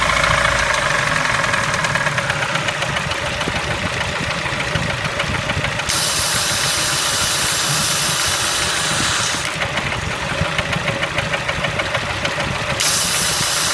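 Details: Engine knock on a Kia Spectra: rapid, fairly regular knocking at roughly three or four taps a second over a busy idle; cause unknown.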